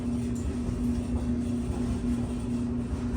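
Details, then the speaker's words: Whirlpool Duet dryer running after its squeaking idler pulley was fixed: a steady low hum and drum rumble with its usual slight vibration, heat working, and no squeal or screech. "and we have heat folks no screeching"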